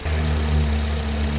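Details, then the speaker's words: Honda Accord after replacing two faulty ignition coils (cylinders one and two) with second-hand coils: steady, even idle, no shaking or misfire. "It's working now. So the car is smooth and no shaking, no missing."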